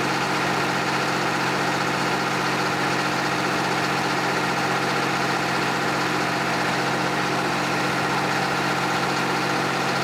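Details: John Deere 350B bulldozer, rebuilt diesel engine after its first start since rebuild, break-in at low idle: steady, even diesel clatter with no misses or surging, settled; normal diesel idle.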